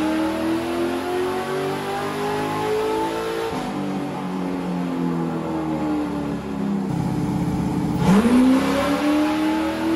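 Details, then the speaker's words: Chevy LS3 427 V8 Ultra4 car on dyno, tuned on 91 octane: strong V8 climbing smoothly through revs under load, no stumbles or misfires; healthy. "And I'm not hearing any sputtering, misfiring, nothing. It sounds... Oh, yeah. It sounds so smooth."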